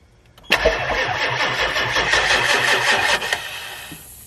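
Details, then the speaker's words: Ambulance project engine at first start-up just after the turbo and pedestal were mounted, set at high idle: engine catches and runs up with a sharp hissing rush on top; air leaking from a loose plug screw on the turbo oil feed pedestal. "what does that leak that doesn't sound good we've got air coming out somewhere where's the air coming out of i have no idea"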